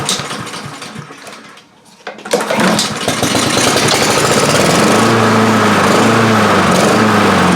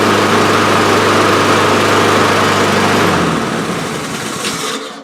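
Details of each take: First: Honda HRR2156 push mower that would run and die, new carburetor fitted last year: cranks, catches, then runs with revs rising and falling in a steady wavering surge. Intake air leak. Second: Honda HRR2156 push mower after fixing a prior botched repair and choke, which had run-and-die surging: starts on choke, settles into steady even run with no surging, then shut off; normal start and run.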